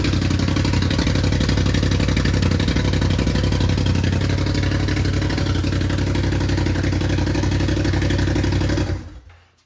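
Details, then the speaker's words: Buggy engine, fire-damaged and then resealed, rewired and reassembled, running for the first time after the rebuild; fuel pump primed. It catches straight away and runs steady and even with no knocks or misses: normal running. "So it runs. So it wasn't a waste of money, and the burn victim lives on, which is super cool."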